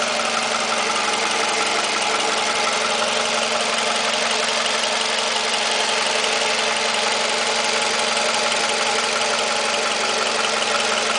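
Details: Toyota 2AZ-FE engine idling after start: light, fairly regular knock about three times a second, located around the starter area but not pinned down. Knock at idle.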